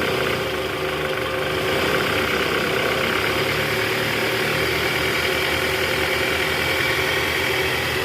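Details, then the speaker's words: Toyota Alphard ANH10 2.4 L 2AZ-FE, after replacing the weak-spring fan belt tensioner: in R with AC on at about 1100 rpm, a steady even hum with no rattle and the tensioner no longer shaking; a knock at the oil pan suggests a worn balancer shaft. "Oke sip. Bunyinya udah hilang guys. Ini memang dari tensioner SI tadi ya."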